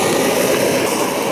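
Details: BRS multifuel stove from AliExpress running on gas, lit through its start hole. Steady, even roaring hiss with a mild hum underneath and no sputter or pulsing; the burner runs cleanly.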